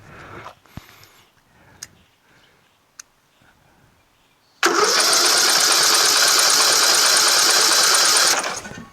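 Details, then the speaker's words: Tractor with newly installed engine, magneto, carburetor and fuel line, about an inch of gas in the tank, no fuel shutoff: steady high cranking whir that never catches; won't start, later flooding with too much fuel, carburetor jet possibly missing. "you heard a little piece of it it tried to turn over but just not quite you know"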